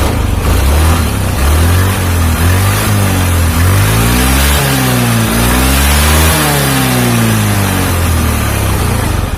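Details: Carbureted Honda Beat scooter after replacing the snapped CVT drive belt (V-belt kit) and cleaning parts; engine runs smooth. Smooth even note rising and falling through several throttle blips, no rattle or slap; normal running and revving.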